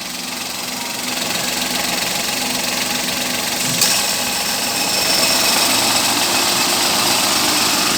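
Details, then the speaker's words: 2016 Suzuki Alto 800, five years old, stock exhaust, warmed about 11 minutes, aircon just switched off: steady even idle with fine quick patter and light hiss, no knocks or misses; normal warm idle. "Ayan yung tunog ng makina. May tunog siya, pero tahimik naman guys."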